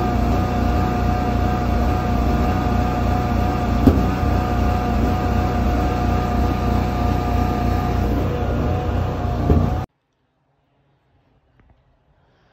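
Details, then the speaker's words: 2008 Kohler 12RES 12 kW generator with 380 hours, before the fix: a steady drone whose pitch slowly wavers up and down before cutting off. It is surging, with backfire, from air drawn in at extremely loose carburetor bolts. "I have this Kohler generator outside the house here it's a twelve thousand watt re s and I was getting surging and pulsing and then I was also getting some backfire happening"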